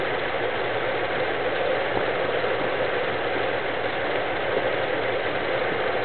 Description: '72 W200, 318, Vacuum leak causing erratic idle?